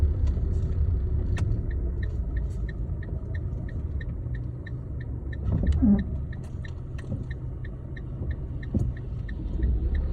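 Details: Fiat Linea idling: a light, sharp tick about three times a second over a low steady rumble; strange engine knock of unknown origin.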